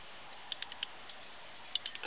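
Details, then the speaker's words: Bicycle wheel after spoke nipples were adjusted to remove a minor lateral wobble: light hub ticking as the wheel coasts, with no rubbing or scraping. The wheel spins freely and runs true. "it sounds it sounds good all done"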